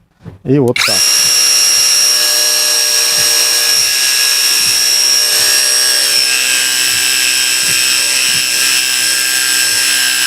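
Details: KAMOLEE mini pressure washer, rated 120 bar but owner estimates about 12, spraying with 15-degree jet: high steady motor whine starts abruptly, holds even pitch, stops cleanly; normal operation.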